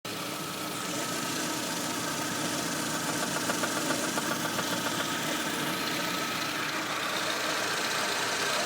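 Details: VAZ 2110 1.6 8-valve, 64,629 km, idling: light, even tick about three to four a second; camshaft axial end play knock, gone after replacement.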